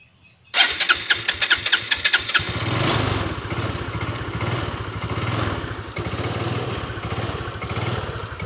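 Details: Fuel-injected scooter hard to start: repeated starter cranking, then rough, uneven surging running, and it dies when the throttle is released; fuel pump pressure, throttle body and injector to be checked.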